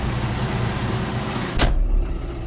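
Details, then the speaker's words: 2013 John Deere 6115D tractor diesel idling right after a cold start at about 60-something degrees: steady low rumble, even firing, no knocks or misses; clean, healthy idle. "And it's idling at around 8,000 RPM."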